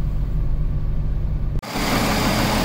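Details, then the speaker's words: Jeep Cherokee XJ about a month after 4-hole injector install, low on fuel, hood open: steady low idle with even note, no misses or knocks; starts without hesitation; normal idle. "you can see it's running pretty good"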